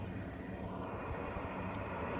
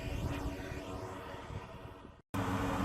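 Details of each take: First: Rooftop radon exhaust fan after its stack was lengthened: a steady, even rush of air with only a soft low drone and no pulsing, so the former airplane-like noise is mostly gone and the fan runs quietly. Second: Powerful radon fan venting through a bare exhaust pipe, recorded on the roof before the fix at about 63 dB: a constant, low, droning roar like a plane overhead, audible from the driveway, so the exhaust fan noise is excessive.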